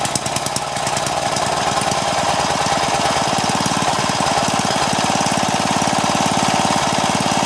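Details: Craftsman four-stroke edger, Tecumseh engine, throttle about halfway: slow steady low-speed thumping with no rise, throttle makes no difference.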